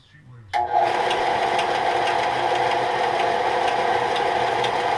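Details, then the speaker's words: Harbor Freight 4x36 belt sander running: motor snaps on to a loud, rough run with an irregular clunk about three to four a second; the sander knocks, cause unclear, owner thinks it'll be fine. "It's not one of your higher precision belts. You can hear it, the knocking in. I think it'll be fine."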